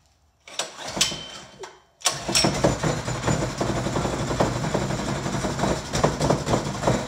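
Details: Harbor Freight Predator 212cc single-cylinder replacing an old Briggs on a water pump, first start with fuel on, choke pulled and throttle slightly up. A couple of pull-cord rips, then it catches into a fast, steady putter.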